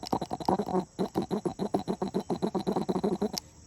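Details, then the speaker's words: Speedex tractor fuel pump puffing regularly at about three and a half strokes per second, then stopping. The pump is still working normally and the carburetor is spotless inside. "That thing is spotless inside. I don't know if you can hear it, but she's still pumping."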